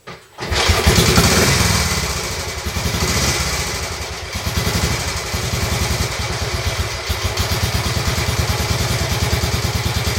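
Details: Royal Enfield Bullet 350 Classic, first start after partial seizure, cylinder hone, new rings, decoke, valve clearances set and carb cleaned, kick-started after backfiring through carb: steady even thumps about three per second settle into clean idle, no knock; needs fine tuning.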